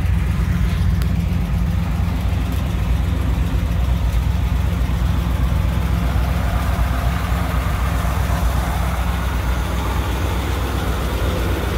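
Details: 1959 Chevrolet Apache 3100 pickup running for the first time in over 20 years of sitting, with a fuel leak: a deep, even rumble with no misses or knocks, healthy.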